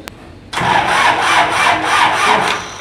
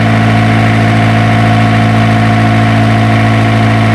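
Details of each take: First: Isuzu diesel generator engine: starter grinds it over in a steady rhythmic churn, about three turns a second, for two seconds without catching; hard starting. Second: Isuzu diesel generator engine, after troubleshooting a hard-starting problem: deep, steady idle with an even beat and no knocks or misses; running smoothly.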